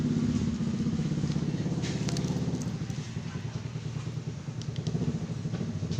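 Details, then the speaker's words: 2018 Honda PCX 150 starts and runs fine but stutters and loses power at high throttle, recovering when throttle eased, no DTC or warning light: uneven pulsing, note weakening under throttle; throttle position sensor suspected faulty. "ketika mesin sudah hidup, bukan berbet awal tapi kita putar gas, semakin gaspol tenaga semakin hilang, berbet tertahan, minyak terasa boros."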